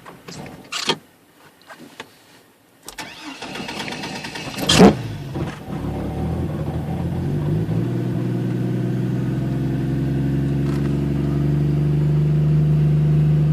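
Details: Chevrolet Trailblazer with an intermittent no-start that doesn't happen every time: a few clicks and short cranking bursts, then the engine catches and settles into a rising idle. Cause unknown.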